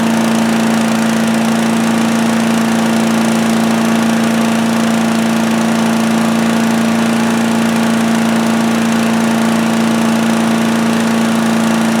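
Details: Predator (Harbor Freight) chipper/shredder, 212cc gasoline Honda-clone single-cylinder, running after a won't-start repair, throttle near high, started on choke; it had very little oil. Steady, even drone at one pitch, no misses, surges or knocks; runs normally.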